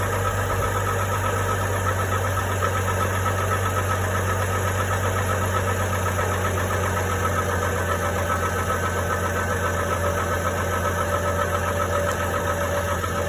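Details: GMC Envoy 4.2L inline-six, recorded from underneath: fairly quick but uneven knock over a steady idle; cause unclear; engine knock.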